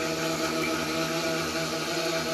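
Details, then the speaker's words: Toilet before fill valve replacement, refilling after a flush: steady hollow hum with held foghorn-like tones over constant water hiss; a worn fill valve is making the noise. "It may be time to replace your fill valve if your toilet is making this noise."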